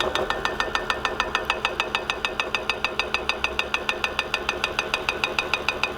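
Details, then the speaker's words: Homemade generator spun on a lathe at 360 rpm, lighting a two-filament bulb: sharp, crisp ticks about three times a second over a light hum, because the stator is shifting on its lathe mount. It runs best at 150 rpm. "hluk, je to proto, že se stator pohybuje od soustruhu, tam je, viz tři sta a šedesát otáček"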